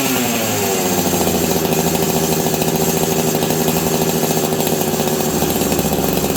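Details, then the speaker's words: Husqvarna 385 chainsaw, sat on a shelf for years, first start: steady high-pitched scream held at flat-out revs. The clutch expanded and grabbed the chain brake. Owner suspects an air leak causing lean, high rpm. "so the the clutch was expanding and actually grabbing the Chain Break um I think this saw has an air leak"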